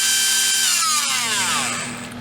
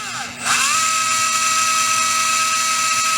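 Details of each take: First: REDS Racing VX4 Pro Stock 17.5T brushless motor on test bench, about 23,352 rpm at 45 degrees timing: very high whine with buzzy rattle falling away on coast-down; shaft vibration, suspected shaft slightly loose in bearing, tiny slop found. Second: REDS Racing VX4 Pro Stock 17.5T brushless motor on an auto test, factory settings: clean high whine spins up, holds steady about four seconds, winds down smoothly, fairly quiet; about 1.5 amps, 2695 kV, 19.7 degrees timing; healthy.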